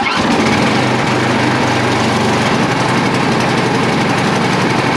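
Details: MTD Yard Machine snow blower, Tecumseh 8 HP, non-running with a massive vacuum leak, first start outside on choke: single cylinder catches and settles into a fast, steady, even beat with no misfires or hunting; normal running.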